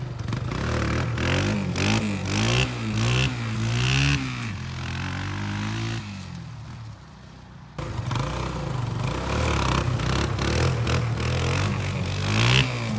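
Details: Kawasaki Bayou 220 barn-find ATV on test drive after carburetor cleaning, new battery, oil and air filters, straightened racks, rear right wheel bearing, seal and drum brakes: single-cylinder pulls cleanly through blips, revs rising and falling crisply, no knock or rattle; running really good.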